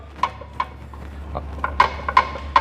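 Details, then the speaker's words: Peugeot 308 at idle with a Valeo dual-mass flywheel kit that was replaced in 2024. Loose, uneven metallic clacks, about two or three a second, sound over a low steady hum: the dual-mass flywheel rattling again. "А ми маємо, що він знов терібонькає. Так. І так само тоже терібонькає."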